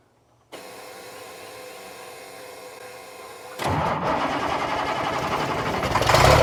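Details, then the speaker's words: Old Ford mobile-home mover truck that wasn't getting fuel, with a possibly faulty control box. Three seconds of even cranking, then a brief louder, rough firing, possibly only on leftover ether, then some smoke. Finding: crank with brief firing. "look at that oh that might have just been The Ether left in it sir that could have been just The Ether left in it I don't know for sure"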